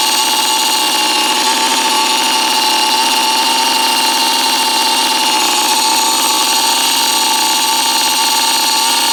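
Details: 1987 Kawasaki KDX80 two-stroke after mechanical restoration, exhaust baffle removed, started for test ride: high raspy buzz at steady even pitch with no misses or knocks; engine running cleanly.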